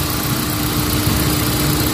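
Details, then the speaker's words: Hyundai Accent gasoline warming up after the cylinder 1 misfire repair, with the spark plug tightened and the check-engine light cleared: a steady, even idle with a smooth low hum and no stumble or vibration. "Wala na siya vibrate. So okay na. Higpitan na e. Okay na. Ay yung spark plug nahigpitan talaga. Okay. Good. Medyo kalmada na siya oh."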